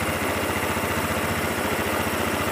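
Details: 2013 Honda Beat FI (had lost ignition; fuel pressure above 10, ECU the fault) small single cylinder putters at a steady even idle with no misses or stumbles; running normally.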